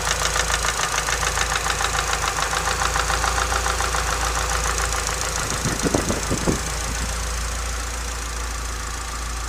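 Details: Nissan S15 idling petrol engine: quick regular metallic rattle, about three or four taps a second; cause unknown.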